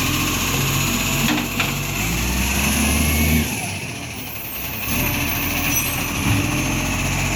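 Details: Iveco ACCO 2015 facelift garbage truck with a Bucher Gen V body, filmed at 6am during collection work: a rough, uneven puffing chatter over the diesel engine note, from an exhaust leak.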